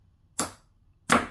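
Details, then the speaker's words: Normal starter solenoid click on a Ducati 916, triggered via jumper wire to the trigger circuit from a brand new battery after cleaning electrics: two sharp clean clicks about 0.7 seconds apart as the plunger snaps in; solenoid working well. "see that that's working really good actually that see it jump around there we go"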